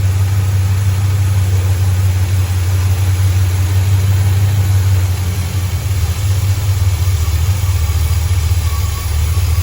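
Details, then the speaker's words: 1977 Chevy C20 big-block V8 with its distributor turned back to the old, retarded timing: a low, uneven idle with a loose stumbling beat that drops and sputters when put in drive. The retarded timing causes a misfire. "you can hear it in the idle when i put it in drive how it sputters"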